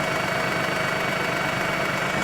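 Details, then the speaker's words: Mazda RX-8 rotary bought at auction, suspected of low compression: steady idle hum with a slightly uneven, fluttery note, no misfire heard; vacuum leak suspected, not confirmed. "Almost sounds like there might be a vacuum leak."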